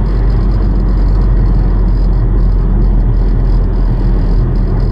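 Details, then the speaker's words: 2011 Nissan Rogue SL AWD 2.5 four-cylinder, 167,000 miles, driving about 40–45 mph; deep, steady jet-like droning rumble felt through steering wheel and whole car, worst at 40, worn driveshaft universal joint. "You can feel it in the whole car. It's just like a really fast rumble vibration sound."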